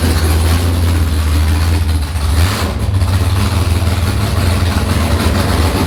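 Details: Nissan S15 with a freshly built V8, first start after long storage, fuel rails pressurized and leak-checked, throttle blipped by hand cable: deep, lumpy burble with a few throttle swells, firing on all cylinders and running steadily.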